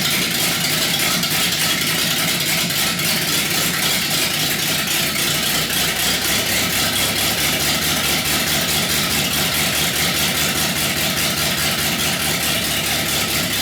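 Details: 318 V8 built for rough idle with Keith Black 6cc domed pistons raising compression and a Comp Cams cam: choppy loping idle with sharp exhaust crackle over low rumble; intended big-cam lope, nothing wrong.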